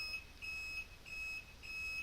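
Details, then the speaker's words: Bobber motorcycle, replacement flasher relay after covering its buzzer with electrical tape: high thin beep pulses with each blink in quiet garage, still audible though much quieter than before taping. "much better it's so much quieter still not as quiet as I'd like it to be but a"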